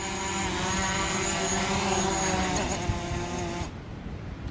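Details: DJI Mavic Pro hovering on stock propellers in gusty wind, rpm around 5,570–5,580; steady even prop buzz holding constant pitch, no wobble or rough note, healthy stable hover.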